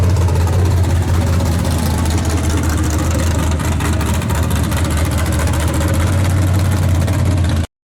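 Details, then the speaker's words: Chevrolet S10 drag truck, carbureted V8 on 114 fuel, held at high revs: loud V8 with ragged uneven crackle through exhaust, breaking up; carburetors, floats, fuel supply and plugs ruled out, cause still unknown. "Oh, no, crackling again. Hear it crackling?"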